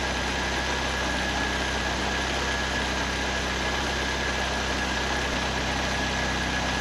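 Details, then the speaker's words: 1931 Ford Model A hot rod with Ford 2.3L and Holley 2300 350 CFM carburetor, warming toward 160°F after water pump work, electric fan running: steady, even idle, smooth low rumble, no knocks or misses; running well. "I turned the fan on a couple times, but the old Holly 2300 sitting here running good. 350 CFM."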